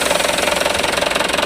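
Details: Mitsubishi Canter truck four-cylinder diesel idling with an even clatter and no misses, after its six-hole injector nozzles were pressure-adjusted to standard; normal idle.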